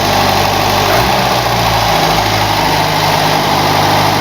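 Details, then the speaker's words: Mercedes W123 230, first start of the day, engine and exhaust still very cold: steady, even idle with a smooth low rumble, no knocks, ticks or misses; normal cold idle. "And if we actually listen to this baby, still cold. Ooh, very, very cold. This is the exhaust starting to heat up. Yeah, still really cold."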